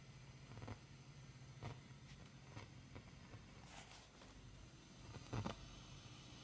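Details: Fender Deluxe Reverb reissue amp: irregular sharp crackles and pops come and go over a steady low hum, unaffected by the volume setting; crackling, cause not yet found.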